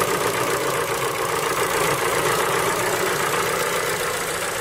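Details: Ford Focus 3 with PNDA engine, cold start: loose, uneven tapping through the engine hum at idle, about three to four per second; cold-start knock, cause uncertain.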